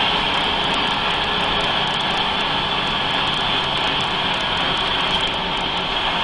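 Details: Mercedes-Benz 3340 truck diesel, turbo failure test: steady high whistle over loud diesel roar with no let-up, the whine of a failing turbocharger.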